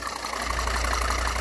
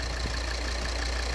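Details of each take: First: 2013 Volvo XC60 2.4D diesel (D5244T10), complaint of cylinder-head noise; idling with loose, uneven knocking about three a second over the drone as the vacuum intake flap pulses, caused by a ruptured membrane in the failed vacuum pump check valve. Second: 2013 Volvo XC60 2.4D diesel (D5244T10) after repairing the vacuum pump check valve whose ruptured membrane made the intake flap pulse and knock; steady, even idle with a low smooth drone, no pulsing or knocking, normal idle.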